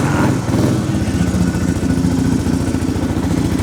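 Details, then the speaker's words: Fully restored 34-year-old 1990 Suzuki DR650 R Dakar, not yet warm: loud, even single-cylinder thump at a fast idle with a mellow, inoffensive muffler note and no rattles or ticks; normal running. "that muffle is not offensive either sound ah it's good"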